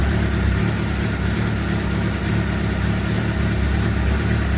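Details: 2006 Suzuki GSX-R750, over 5,000 km since last service, oil nearing 60 °C before oil change: steady, even idle with smooth low rumble, no ticking or knocking; engine running healthy.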